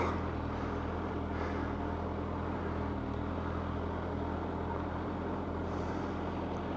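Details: Kawasaki ZZR1100 (ZX11) idling warm after a test ride on a hot day near 40°C, following a full refurbishment with new coolant hoses, fan, thermostat, oil and filter; a smooth, steady low hum with the fan audible and no misses, so a normal idle.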